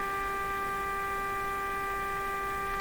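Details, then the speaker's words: Canadian Westinghouse Model 512 tube radio during IF alignment check, signal generator at exactly 1 MHz: steady harsh buzzy tone around 400 Hz with strong overtones and faint hum, clipping and distorted, likely too much signal; not confirmed. "I'm pretty sure this radio is doesn't sound good"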